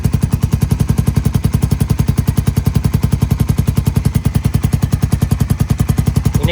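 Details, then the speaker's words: Suzuki Satria fuel-injected motorcycle with a 3-sound DB killer after 2 years of use: idling exhaust with a thin metallic tap on each pulse from the loose baffle, valve open. The knock disappears when the part is held. "Nah, kalau Anda dengarkan, saat saya memegangnya, suaranya menghilang. Suara seperti ketukan logam itu menghilang."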